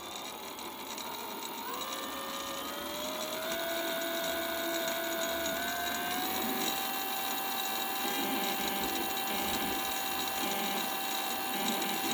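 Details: Bafang BBS02 motor spinning up: thin whine climbs in steps, then holds a steady high pitch with a faint rattle, abnormal motor noise of unknown cause.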